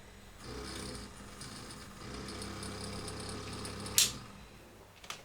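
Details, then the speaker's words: Philips EL 3514 tape recorder, rewind tested after fitting an improvised idler: about three seconds of rough, buzzy whirring as the reels spin up, then clicks. It no longer jams but stays noisy, and nothing more can be done. "that's not bad. I mean, it's noisy. There's nothing I'm going to be able to do about it."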